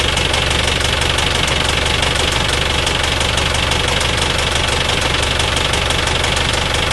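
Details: Engine making noise at start-up: steady run with a fast, fairly even ticking knock of about two per second over the idle; cause not clear from the sound alone.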